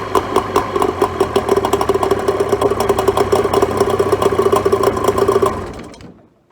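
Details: Neglected 2004 Tohatsu 25HP two-stroke outboard (same as Mercury/Mariner), with fresh fuel, cleaned fuel filter and new plugs: fast, even two-stroke buzz with steady firing before stopping; runs fine, though no water comes from the telltale, so a water pump kit is needed.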